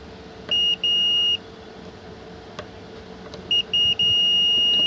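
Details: Car ECM (1032K1 unit) on the bench: several sharp steady multimeter continuity beeps as each capacitor supply line feeding the MCU is probed to ground; dead short is inside the MCU, which must be removed to fix.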